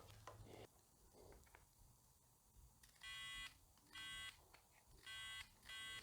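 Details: OEM starter button on a 2008 Suzuki V-Strom 650, after cleaning and greasing its contacts that had made starting unreliable: four crisp high beeps, each about half a second, over a quiet room; continuity beep confirms the switch now closes properly.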